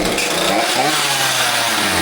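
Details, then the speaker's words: Husqvarna 543XP chainsaw bogging after owner's carb adjustment: runs with an uneven, burbling note and no crisp rev, barely runs; mixture screws at max rich within a limiter range likely moved too lean. "garbage. Sounds like garbage. Won't even run."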